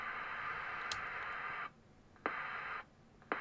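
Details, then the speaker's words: Formac 120 AM/FM 120-channel CB radio, bought faulty from eBay, before repair. Steady receiver hiss cuts off with a sharp pop about once a second as the squelch closes. Squelch pop; fix is a capacitor across the switching transistor's collector-emitter. "this should be easy enough to fix so we're going to fit a capacitor across this transistor so collector to emitter just to hold it a little bit when it switches"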